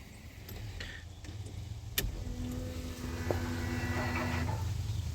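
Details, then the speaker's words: 1988 Ford Ranger, wrecked, fuel pump jumped via power wire: sharp relay click then steady low electric hum for about two seconds; relay and fuel pump priming normally. "Fuel pump works, relay's doing what it's supposed to do."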